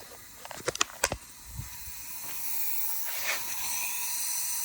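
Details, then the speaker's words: Used Toyota 20R engine on leak-down test: after a few clicks a steady faint hiss of air escaping the cylinder; exhaust valve seat leaking, rings also not seated properly; head probably to be sent out. "you hear the air coming out of the cylinder that means the valve's leaking the seats leaking nothing on the exhaust side so the uh the intake side so the exhaust side is leaking"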